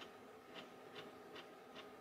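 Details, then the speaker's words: Floppy drive in a salvaged Lucent Merlin Mail voicemail PC (386SX) booting from a DOS disk: quiet, regular ticking about every 0.4 s over a faint hum as it retries the read; owner suspects a bad disk. "like the disk is bad it's kind of retrying on the reed let me find a different disk"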